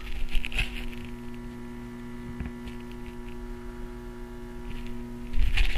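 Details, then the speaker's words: Tube amp with cheap Chinese preamp, just powered on and warming up: faint steady 60-cycle transformer hum under quiet hiss, barely audible and normal; hum improved greatly after transformers were mounted on rubber grommets. "that's just really common 60 cycle hum from the Transformers and uh it's barely Audible and is really common in these type of amplifiers"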